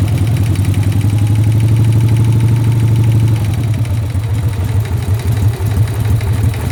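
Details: Harley Sportster V-twin with a lumpy idle and a regular knocking pulse riding on the deep exhaust beat: engine knock.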